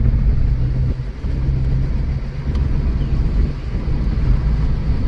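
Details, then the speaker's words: 2011 Kia Soul on a test drive, pulling away: deep, steady engine drone pulling cleanly through a brief dip and back up, no knocks or whines; good acceleration. Engine believed to be a four-cylinder, possibly 2.4, with eco mode. "now we're going to finally get pulled out and we're off um it has good acceleration it's got good acceleration good"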